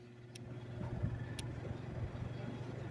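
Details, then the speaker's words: Lasko tower fan running far slower than it should, with a strong steady low hum. "Está trabajando a una velocidad muy baja en comparación con lo que originalmente debería funcionar y hace ese zumbido."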